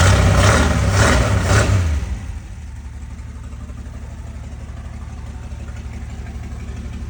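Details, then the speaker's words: Valiant Safari wagon after sitting, exhaust straight out the extractors: loud rev dies back to steady deep idle with even, rapid exhaust beat, no misses; normal idle. "there we go now you got to remember it's straight out the extractors at the moment"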